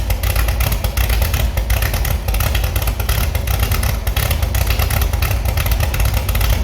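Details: Restored Chevy SS engine after lowering the fuel level: deep, steady rumble that picks up cleanly on throttle with no stumble or misfire; sounds very good with good response.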